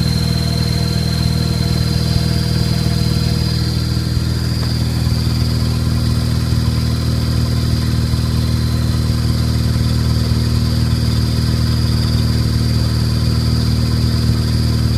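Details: Faint thin high-pitched chirp over idle, after a new Exedy stage one clutch kit with both bearings, new flywheel and master cylinder; starts about 60 seconds after cold start, louder after break-in; light clutch tap briefly stops it; owner suspects bad fork; clutch chirp at idle.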